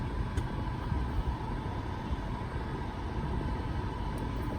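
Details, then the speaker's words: 2000 BMW E38 740iL cabin blower after replacing the blower motor and blower resistor: a steady even whoosh of air with no rattle, squeal or speed surging; it runs smoothly. "Yay, she works like she's supposed to. So you can hear the blower."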